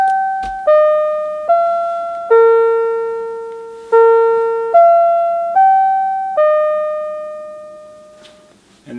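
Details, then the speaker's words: A repaired NuTone LBC55 electronic musical door chime plays the standard eight-note Westminster cleanly: clear notes ringing and decaying evenly, with none of the croaking heard before repair. The chime is healthy. "the second song we played was number 11 and of course that sounds much more familiar now than what it sounded like as it croaked it out the first time"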